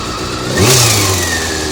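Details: Honda CBR400RR after riding at Ebisu Circuit: quick throttle blip with a whirring tone rising and falling; abnormal mechanical engine noise, suspected from the cam gear train, unconfirmed.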